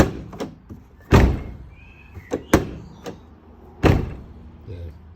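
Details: Toyota FJ Cruiser side-hinged rear door closing normally after the rear door guide was replaced and the striker greased with lithium grease; three solid, clean thunks with light taps between them and no lingering rattle.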